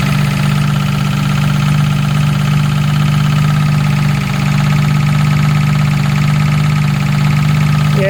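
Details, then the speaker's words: Jaguar MKII after reassembly, engine idling, recorded from under the car. A steady low drone holds at one pitch under a smooth idle; owner suspects the gearbox, not confirmed. "hard to tell where that's coming from that noise it really does sound like the gearbox"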